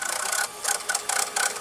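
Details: RCA VR335 VCR with a Samsung mechanism, after cleaning the mode switch: high, airy whirring that surges and drops about three times a second as the tape spools freely. Normal rewind.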